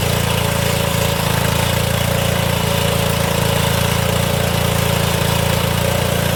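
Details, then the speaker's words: Old Cub Cadet HDS mower, suspected blown head gasket and squirrel-chewed coil wire, revived and driving: steady, even engine beat at fixed speed with no misses, knocks or surging; normal running. "Oh, she does drive. I didn't have the little pin pulled in the back to let it drive."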